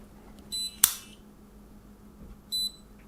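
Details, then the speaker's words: Cheap fingerprint smart padlock, sensor long-pressed 3 seconds; two short high beeps about two seconds apart with a small click between, confirming entry into fingerprint enrolment mode for adding the first finger. "So when you get into this mode, this is when you'd add your first digit. So just go through this again. So long press the sensor for 3 seconds."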